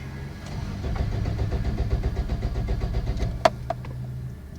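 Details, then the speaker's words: Toyota Corolla with anti-theft kill switch timer that shut the engine off: starter cranks steadily about four beats a second, engine never fires; crank no start, ignition cut until reset switch pressed. "Does it on? So for me to start again, I will have to press the reset switch for it to start."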